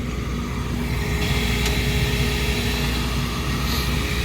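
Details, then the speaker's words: Old Trane gas package unit after a no-heat ignition-failure lockout, gas valve pressure set around negative 0.1: a steady, even flame roar over constant fan hum with no popping or surging. Normal smooth burner operation. "that could have been part of it I mean that that's a smooth fire and I'm happy with point one just to keep from any ignition issues because we had an ignition failure"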